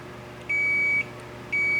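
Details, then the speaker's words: K7000 19-inch arcade monitor chassis, 15 A fuse fitted where 1.5 A was specified: continuity meter on the removed horizontal output transistor gives two steady high beeps, a dead short; HOT shorted, critical safety cap not shorted. "dead short."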